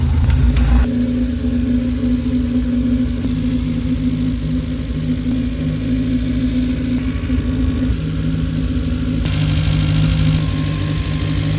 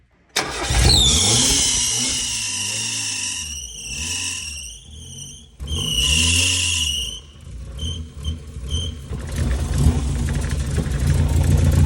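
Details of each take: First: Mazda Miata engine swap after fitting a replacement alternator, belts and power steering: steady, even idle with constant low drone, no ticking, squeal or stumbling; started up not too bad, runs fine. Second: Mazda Miata on its first test run after an engine swap, MAP sensor plugged in: fires with a sharp squeal rising and falling with revs over a lumpy, uneven engine note. The water pump is fine; ignition timing is suspected off by 15–20 degrees.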